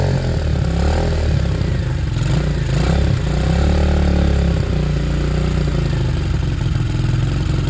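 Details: Sinnis Harrier after a Hanway carb conversion, choke off, idle adjusted, on a temporary fuel setup that is spilling fuel. The small single holds a steady, even idle with a deep regular beat and no misses; it is expected to cut out as fuel runs out.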